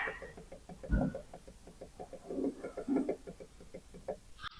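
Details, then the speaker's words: Triumph TR7 V8 propshaft worked by hand: irregular light clicks about every couple of seconds, with rotational play at the sliding section; propshaft sliding section wear. "so I think that clicking noise is the um obviously the uh sliding section so sliding section and um sliding section and universal joint"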